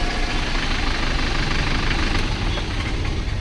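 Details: Force Motors diesel bus after fixing injector (nozzle) fault P0204 and cleaning ACM connector: loud, even diesel clatter with no misfire or stumble, revving properly; normal idle.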